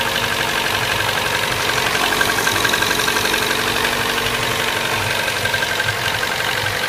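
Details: Toyota Corolla Fielder ZZE124 with 1ZZ-FE engine at idle: a steady light ticking knock, about four per second, from the bottom end; bearing (metal) wear is suspected but not confirmed.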